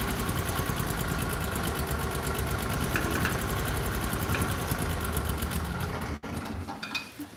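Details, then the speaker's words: 1998 Argo amphibious vehicle, started after sitting since the previous day: catches at once, fast steady patter with no knocks or stumbles, then shuts off; healthy start. "So it hadn't ran for many, many days, and it fires off just like that."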